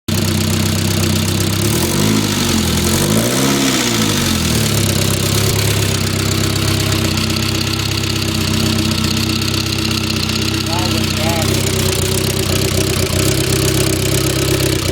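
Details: 1997 Saab 9000 Aero petrol engine at idle: a light, fast top-end tick that gets worse partway through, over a loud, rough exhaust note from a bad exhaust; cause unknown.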